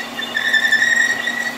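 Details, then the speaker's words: Horizontal milling with a staggered-tooth wheel cutter, resharpened with radiused corners, cutting keyways in marine shafting under power feed with coolant; steady high singing tone near 2 kHz, pitch wavering slightly, sounds as it should: a normal, healthy cut. "doesn't sound bad that's pretty much what that 22 sounds like"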